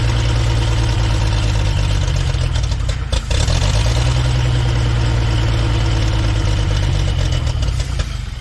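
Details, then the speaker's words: 1960s Galion grader "Christine", old petrol engine after restoration, started with choke, fuel pump not yet connected. Settles into a steady low thump, about four beats a second, with no misses and some alternator clanking. Healthy, even idle. "got to connect the fuel pump but it runs don't worry about that clanking noise that's just an alternator"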